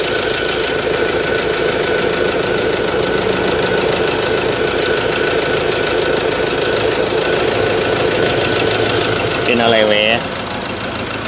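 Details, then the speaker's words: Ford Ranger 2.2 engine shaking badly at idle even after injector work: uneven, shaky pulse with a loping beat. A scan showed a cylinder 3 injector code, with wiring or coil suspected but not yet checked. Rough idle. "โอ้ยมาดูนะฮะFCทุกท่านคันนี้เครื่องยนต์สั่นเขย่ายังก็เจ้าเข้าเลยนะสำหรับforRangerเครื่องยนต์22นะ"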